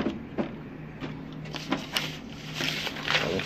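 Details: HP Smart Tank 500 printer after reseating the displaced plastic encoder strip that had made the carriage bang against both sides: repeated light swishes as the carriage slides back and forth evenly, no banging at the ends; moves normally.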